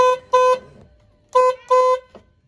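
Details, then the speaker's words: Mustang SN95/New Edge (94-04) horn after clock spring fix: short double toots on a single thin note, only one of the two horns connected so it sounds weak; connecting both restored a normal horn. "so I only had one horn hooked up so it sounded a little dorky but now after getting them both connected it sounds like a normal horn"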